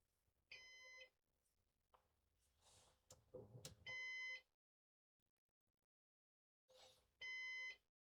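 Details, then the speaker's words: Used Synology DS418 NAS during first setup with four drives: half-second high-pitched beep every three seconds over soft room and handling noise, heartbeat-like; system reports fan failure. "I don't know why it's beeping, but Sounds like a heartbeat."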